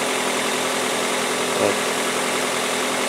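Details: 2003 Toyota Corolla 1.8L with P0505 idle control system code: steady, even idle sitting noticeably fast with no knocks or misses; scope shows a clean square wave at the idle air control valve, consistent with a faulty IAC valve holding idle high.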